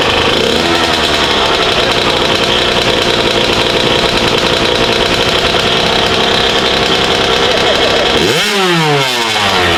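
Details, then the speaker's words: Kawasaki KX 85 two-stroke after a rebuild and break-in, before its first ride: crisp, high buzz holding steady, then a clean rev up and back down with no stumble; normal running. "That sounds sweet. Yeah, it does. Sounds good."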